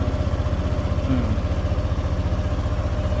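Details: Motorcycle with a morning hard-start problem traced to the old battery (9.8V while cranking), running on a new 12.69V battery: steady low thumping idle, even beat about four per second, no misses or stumbles; normal idle.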